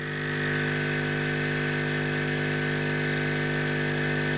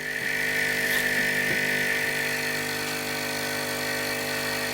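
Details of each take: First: Hailea ACO 318 45 W air assist pump for laser, on table: constant deep hum with low buzzing bass drone, no change; pump vibrating and skating across the table, transmitting noise. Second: Hailea ACO-318 45 W air pump for diode laser air assist, running with a short garden-hose piece fitted to the intake: constant smooth hum and steady high hiss, the aggravating bass tone gone; quieter normal running.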